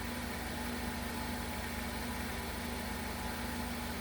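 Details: 2015 Ford Focus 2.0L idling after serpentine belt failure repair, new tensioner and drive belt fitted, battery trickle-charged overnight: steady even idle, smooth mid-pitched hum, no squeal, chirp or knock from belt drive; earlier power steering loss from low voltage.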